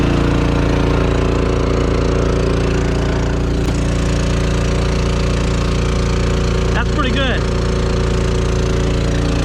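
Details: Champion 3500 portable generator in a 1990 Fleetwood Bounder motorhome, about half an hour running the roof air conditioner at 79°F outside: steady drone with constant pitch, no surging or hunting; normal running under load.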